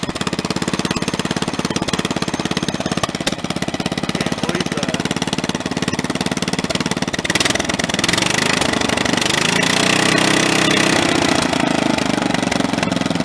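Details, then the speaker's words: Snapper 30083 mower small engine, first run after 20-25 years abandoned, junkyard flywheel fitted: hard jackhammer-like shaking rattle worsening as it revs; severe vibration, flywheel likely meant for a synchro-balanced engine. "i got to put the other flywheel back on until that flywheel there is often a synchro balance engine and it that thing is vibrating extremely bad"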